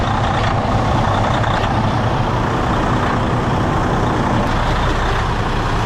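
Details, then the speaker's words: 2011 Freightliner Coronado DD15 diesel after fuel injector and harness replacement and priming fires right up into a steady, even idle with no knocks or misses over shop background; runs smooth. "he's trying and she fired right up wow that worked fantastically"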